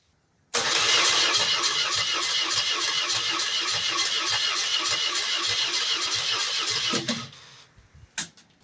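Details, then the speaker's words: 1986 BMW R80 custom bike in very cold weather, with the choke on: steady cranking at about 220 strokes a minute for six seconds with no firing; the owner suspects too little fuel and a leaking carburetor, and tries starting fluid next. "I think we need more gas. I did notice this carburetor is leaking a little bit of fuel. That could be part of our problem."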